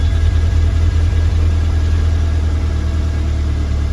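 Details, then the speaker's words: VW GTI during rebuild, first start in about 3 months after fluid changes and coolant flush with distilled water: deep idle thump wavering and stumbling, running terrible with many error codes; cause unknown. "Not dead. It's running terrible for a second there. Got a lot of errors. Something's wrong."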